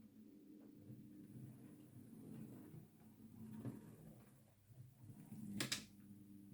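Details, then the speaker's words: Used Hornby R2959 Thompson L1 2-6-4T model locomotive on a test track, running with the gearbox cover off after its worm gear was greased with lithium grease and gear oil: quiet steady motor hum, no grinding, geartrain sounds okay. "See, that's sounding okay. That's without the uh gearbox cover on. That sounds okay."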